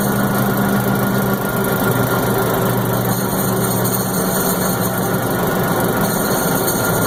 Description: My M-925 making an odd noise. Any ideas what this noise is?